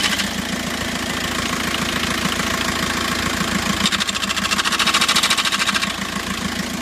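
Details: 2006 VW Jetta TDI diesel idling as the clutch is pressed: rapid regular rattle about three per second turning harsher, pedal goes hard, vibrates and won't reach the floor; clutch disc found broken into pieces.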